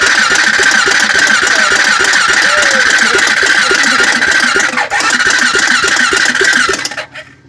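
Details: Honda 400EX ATV cranked with throttle held: steady fast starter chatter at about three and a half beats per second for several seconds, never catching or firing; cranks but won't start.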